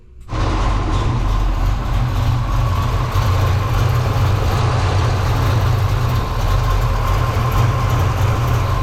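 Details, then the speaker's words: Foxbody Mustang on 93 gas after injector swap and fuel system upgrade, battery reset so ECU must relearn after old ethanol tune: loud low drone with uneven, lumpy beat; rough running until ECU relearns, no fuel leaks. "I had to reset the battery cuz it didn't want to run right with the old ethanol tune or whatever, you know, the way it had learned. So now it's got to relearn."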